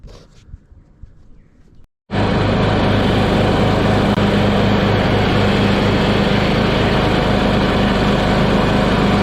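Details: Troy-Bilt 7-speed Pony riding mower started after removing and refitting the mower deck and changing the blades: after a short quiet start the engine fires and settles into a steady, even drone with no misses or knocks. Sounds healthy and cuts well.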